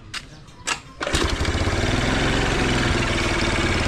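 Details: Carbureted motorcycle that had fuel, compression and battery but would not start, fixed by restoring DC supply to the CDI: short cranking bursts, then catches and settles into a steady even idle without misses.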